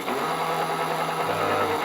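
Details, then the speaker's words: Richbit electric fat bike hub motor under throttle (also happens on pedal assist): steady low hum with an uneven buzz that shifts partway through, as if something drags the wheel; power is lower than before; abnormal motor noise, internal cause unconfirmed. "Then I switch on the motor, use the throttle, and then you hear the noise which is coming from the motor."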